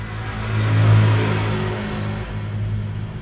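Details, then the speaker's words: Samsung two-door inverter fridge using R600a, under repair for not cooling and partly recharged to 20 psi, compressor just started: steady low hum, slight vibration, very smooth, about 0.1 A draw, filter warming; normal compressor running. "Hai Kenny sudah jalan ada suara dengan dan bergetar sedikit karena sangat halus ampere nya Hai luar 0,1 kecil sekali jadi memang sangat irit sekali untuk inverter ini"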